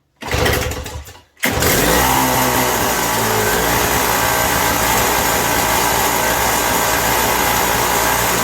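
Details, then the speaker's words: 1987 Toro CCR 2000 two-stroke snow blower after a carburetor replacement, mixture set to 1.5 turns: it catches after a short pull and holds a steady, loud buzzing run, governing immediately under load. Healthy running. "It's running, and it's governing too. I put it under a load there with the props, and it adjusted immediately. Still as loud as it's always been, but it's running."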